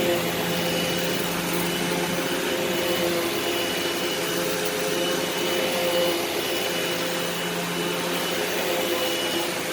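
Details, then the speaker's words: Eureka SmartVac 4870 upright vacuum rebuilt from two broken machines, running on high-carpet setting: steady motor whir at constant pitch, no grinding or rattle; normal running, though the belt later seems to slip slightly. "we're going to turn it on and see if it works hopefully it does yep on high carpet that's what we want"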